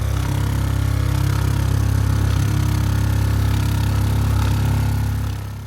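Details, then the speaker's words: RV water pump running as originally installed, heard from outside then inside: loud steady low drone with fast pulsing hum as the pump shakes its metal mounting and carries vibration noise into the frame, before the DIY fix. "I just wanted to put the pump on so you can hear it from outside and then from inside, because this noise is pretty significant."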